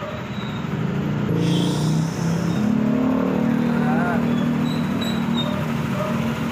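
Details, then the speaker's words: Yamaha NMAX V2 scooter with about 46,000 km, engine revving smooth and even with a steady quiet hum, no ticking or rattle from the top end, compared with the earlier noisy recording before rocker arm replacement; normal revving. "Tahimik na tahimik."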